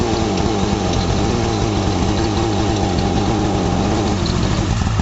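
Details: Used Japanese Rabbit fire-pump petrol engine, tested before delivery: runs at steady, even speed with no knocks or stumbles; healthy.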